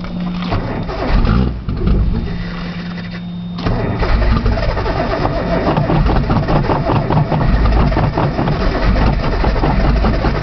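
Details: Nissan Z, cold outside, cold start valve found unplugged, solenoid checked, brake cleaner used as starting fluid: starter grinds in steady bursts, engine sputters but never runs; cranks without starting, cause unclear.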